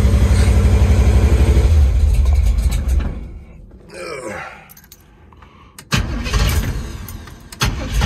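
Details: 1973 Chevy Nova, cold after sitting a few days, recently switched from EFI to a Street Demon 750 carburetor: engine catches and lopes unevenly, stumbles and nearly dies before catching again; rough cold start.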